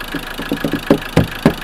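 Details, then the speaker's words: Land Rover Defender 110 with a replacement Ford 2.2 TDCi diesel: lumpy, galloping idle with irregular thumps, heavy shaking and smoke, and diesel coming out of the exhaust. Misfire, one cylinder suspected not firing. "it sounds like it's missing a cylinder and if you go down here yeah that's diesel coming out of the exhaust"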